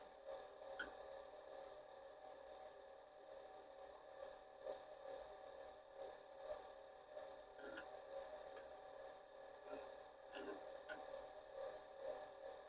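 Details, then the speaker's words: Commodore PET 4040 dual disk drive, fitted with a replacement main board and showing strange faults, recorded with a microphone inside the drive while copying: a steady motor hum with regular stepping clicks and seek clacks; it sounds fine. "I don't know it seems to be copying and it sounds fine just Debbie"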